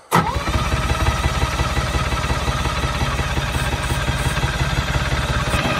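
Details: Bantam C350 crawler crane's Detroit Diesel (believed 3-53) two-stroke, parked about 20 years, first start on extra battery with starting fluid, possible fuel air pocket: catches straight away, even steady beat hitting on all three; healthy.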